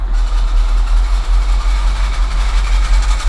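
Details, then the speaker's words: Engine idling as the clutch is pressed and released, with a faint whirring rasp over a deep idle; suspected throwout bearing noise even though the clutch disc, pressure plate and throwout bearing are all brand new. "not only is the disk pressure plate and throwout bearing brand-new this is the sound of a Thrall bearing and there are all brand new pieces in there"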